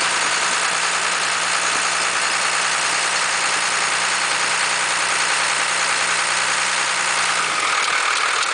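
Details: 1991.5 Dodge Cummins diesel at idle: low uneven throb with a steady hum on top that disappears as rpm rise; belt tensioner visibly bucking at idle, cause still unknown.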